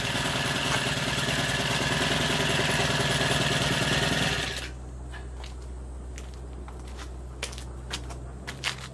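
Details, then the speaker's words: Brush cutter after fitting a new 40-tooth 255 mm tipped blade, not perfectly centred: a high, even buzz holds steady for about four seconds with no vibration, wobble or rattle, then cuts off; it runs smoothly. "ちょっとこれで一家エンジンかけてみます[音楽]そうですいい振動もないの思うのでこれで東海終了です"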